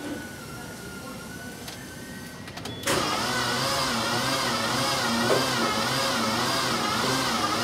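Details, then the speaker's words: Mini Cooper with a brand-new starter, cranked with all spark plugs removed, drawing about 400–450 A. Slow, strained, wavering churn; the engine would not turn by hand. Cause was a seized alternator, not a seized engine. "looks like about 4 to 450 and of starter current with all the spark plugs removed so definitely something mechanical going on"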